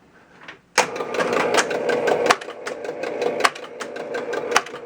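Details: 1966 Williams Full House electromechanical pinball, spastic left flipper at power-on: dry rapid chatter of uneven clicks and snaps as the coil buzzes instead of holding; ohmmeter shows part of the coil winding open.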